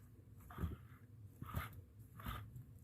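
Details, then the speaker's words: Old alternator removed from 2006 Toyota Avalon XLS that roared after engine shutoff, spun by hand: three short dry raspy grinds, one per spin, in a quiet room; worn internal bearing suspected, not confirmed. "again it's a bearing inside of here somewhere um that's supposed to slow it down or stop the the spin the free Spin Once you turn the engine off I think it's gone but but you can hear it just from my my hand just slightly being able to give it a little spin"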